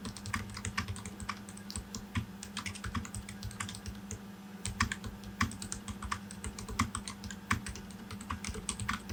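Steady mechanical keyboard typing with soft, muted clacks and no rattle or ping from the keys.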